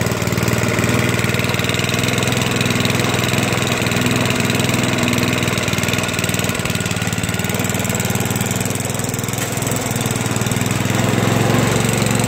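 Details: Toro 421 snowblower, unstarted for about 2 years, after cold start with fuel valve on: steady, even single-cylinder thump at constant speed, no misses, knocks or rattles; normal running.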